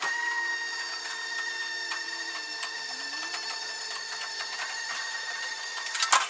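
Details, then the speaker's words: Mini truck after in-tank fuel pump upgrade with new line to original filter, priming before start: even high-pitched whirring hum, quieter than the old pump, smooth with no rattle; healthy fuel pump priming. "It's not as loud as it was, so that's pretty sweet."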